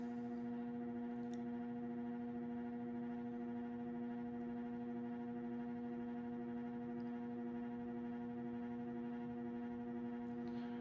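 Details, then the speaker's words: Moss Heirloom Olympus 52" ceiling fan (made by CEC early 1980s) turned up from low (55 RPM) through middle speeds: constant low buzzy electrical hum from the variable speed control stays, still quite noisy; at full speed, about 165 RPM, it quiets considerably. "Turn it up a little bit. Turn it up some more. Still quite noisy."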